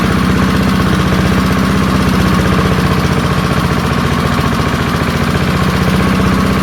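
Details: Early-1970s BF Goodrich push mower's small single-cylinder engine, a barn find that sat for years seized, revived after freeing up and fitting the carburetor diaphragm; fast, steady putter with even firing at constant pace, running smoothly.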